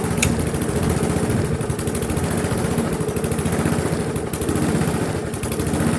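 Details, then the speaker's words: Briggs & Stratton carbureted engine on a GGP (ex-Castelgarden) mower, after carburettor diaphragm repair stopped stalling: chugs at a low, slightly uneven idle and never picks up speed; won't rev, stuck low due to slack governor spring. "Ça tourne mais ça prend pas de tour. On va essayer de faire mieux. On va enlever le filtre à air, on va regarder si on peut lui accélérer, parce que là ça tourne pas assez vite."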